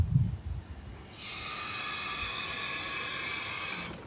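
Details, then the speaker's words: JLG 340AJ boom lift, emergency lowering from the basket: on-off switch held down engages emergency valve, with a slight alarm; steady hiss of bleeding oil for nearly three seconds that stops cleanly; normal emergency lowering. "Now your on-off switch, the up position turns the machine on, the down position engages an emergency valve."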